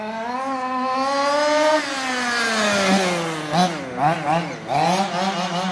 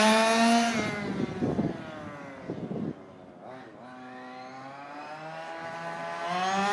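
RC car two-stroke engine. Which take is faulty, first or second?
second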